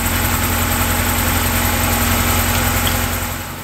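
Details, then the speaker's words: Classic car that sat all winter, cranked with a small jump pack and a weak battery; even, laboured cranking at about three or four beats a second without catching while fuel is pumped up to the engine before it starts. "that right there was the perfect example of trying to start a car that has sat all winter the battery wasn't in the best of shape and i did have to crank it enough to get the fuel up to the engine before it would start"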